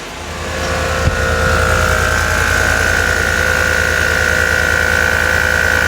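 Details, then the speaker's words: 2015 Chevy Tahoe LT air suspension: both rear air shocks have brittle, cracked rubber from Arizona heat and won't hold pressure, so the compressor hums and whirs nonstop without cycling off, risking burnout. "one of the biggest indications that this is going on is when you hear the compressor run over and over and over like this"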